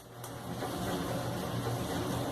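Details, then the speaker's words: Brastemp clothes dryer running empty: steady rough hiss and low rumble as the drum rubs metal through a worn front friction ring and bearing. It hisses depending on position, and the fix is replacing the friction ring. "trocar esse esse anel de atrito aqui na maneira mais prática né"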